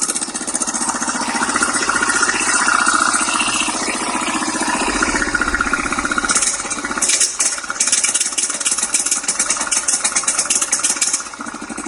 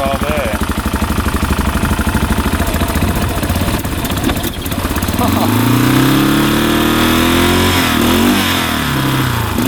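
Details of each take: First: 1989 Yamaha Big Bear 350 4x4 ATV with a new timing chain, starter clutch bearing and coil; carb swaps ruled out. It idles, then runs rough, stumbles and misfires, breaking up badly as throttle comes in. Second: 1989 Yamaha Big Bear 350 4x4 ATV after timing chain and starter one-way clutch bearing work (carburetor ruled out): starts right up, settles to an even idle, then revs out cleanly without breaking up; running right.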